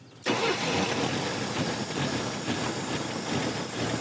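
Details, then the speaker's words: Classic Pontiac that sat about 30 years, just after rebuild and new plugs and hoses: the engine catches into an uneven, lumpy idle. The vacuum advance diaphragm was adding too much timing, and removing it made it run much better. "So, I was looking down there and I could see the vacuum advanced diaphragm putting timing into it. basically take that away and well it runs a lot more good."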